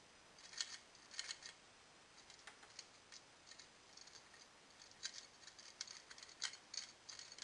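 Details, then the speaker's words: Overload relay of a refrigerator, shaken in hand: light, tinny rattle of loose broken fragments falling out; the overload relay has broken apart inside and is the fault, to be replaced with new parts. "can hear the pieces rattling around you can even see them falling out so yeah this is definitely the problem"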